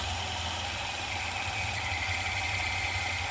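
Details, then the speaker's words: Sewing machine running slowly: a steady high whine over a low motor hum. The Z motor is suspected; it is being isolated from the machine to confirm. "you go now you can kind of hear that whine but we need to make sure that's what it is"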